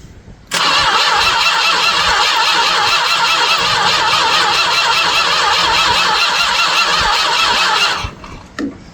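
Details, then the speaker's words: 1967 Chrysler Newport, sat for years in a barn, turned over by remote starter before any spark check: seven seconds of steady, even cranking with a firm regular beat, not spinning easily; turns over normally with decent compression. "Oh yeah, she turns over just fine. And it sounds like she's got decent compression because she's not spinning real easy."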